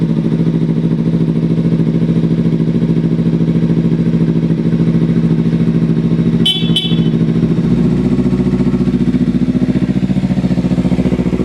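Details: Small motorcycle with about 3,300 miles, freshly bought: loud, steady idle with even firing through a lightly baffled exhaust, short horn toot; runs healthy.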